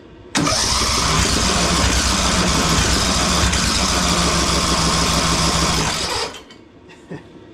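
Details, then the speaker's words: Craftsman DLT3000 lawn tractor engine after new carburetor, head gasket, spark plug and valve recheck, on jumper battery: about six seconds of steady starter churning, near three strokes a second, never catches; cranks but won't start. Compression then read only about 60-65. "Come on. [clears throat] I don't know. I don't get it."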